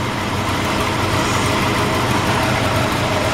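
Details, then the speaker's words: 1961 Chrysler 300G with original engine, after the tank was drained, a thorough tune-up and carburetor cleaning; steady, even idle heard under the open hood with no knocks, misses or hunting; normal idle. "like that engine fires right up this is what I spent my money on"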